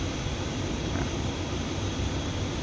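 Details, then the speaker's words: 2007 Ford Ranger, no leaks, differential fine: constant low droning rumble with rough hum as the shaft turns; one driveshaft's bearing is sticking and defective, other side fine; shaft to be replaced. "Maingay ito eh. Ito yung ingay niya. Ito off goods tong sa kabila, pero ito ay dumidikit na yung kanyang bearing."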